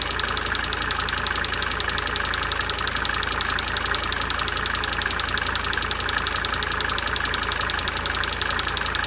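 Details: 1992 Mercedes-Benz 300D 2.5 turbo diesel at steady idle: sharp, quick, fairly even ticking rides on the clatter, cyclically fading in and out. Diesel injector ticking.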